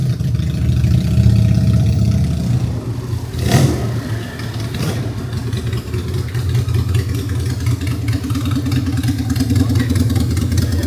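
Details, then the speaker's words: Honda Steed 400 chopper custom build, first start after five-day build, running the stock exhaust: deep, lumpy V-twin burble rising with a rev then settling to an even loping beat; sounds healthy and solid, normal running. "Aman, suara mantap Jon ya? Suaranya sih mantep."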